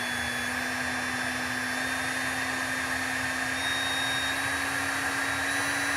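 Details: Unloaded brushed electric motor with an internal fan: steady even whir, faint fan hiss and commutation brush buzz, pitch rising with RPM; normal, healthy running with no load.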